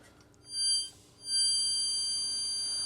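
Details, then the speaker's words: NetGain Warp9 series DC motor with Curtis 1221C-7401 controller, no flywheel: thin high-pitched whine swells as the motor starts, then goes away at a certain frequency; normal controller whine at motor start. "there's that whine, and the whine is actually coming from the motor, and it's the frequency. Get up to a certain point, and then it just goes away."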